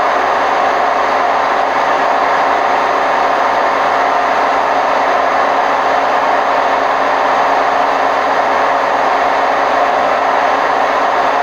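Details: Hotpoint WMF760 washing machine on spin program, May 2018: constant loud rumbling roar through the whole spin with no quiet gaps, from worn drum bearings.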